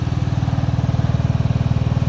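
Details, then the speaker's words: Cub Cadet Series 2000 riding mower after sitting eight months, just started and unloaded off trailer, before enzyme fuel treatment: even low thumping idle with no misses or knocks; idles pretty smooth, normal. "okay guys we've got it unloaded off the trailer there it idles pretty smooth"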